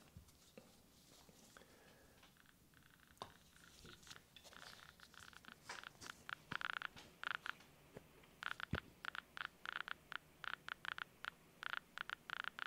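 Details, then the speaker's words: Graetz X50B civil defence survey meter heard through headphones near a strong pitchblende sample; sharp random clicks crowd into rapid bursts as the probe nears, display fluctuating around 60, meter responding properly. "you should hopefully be able to hear that clicking and the display is fluctuating between 60"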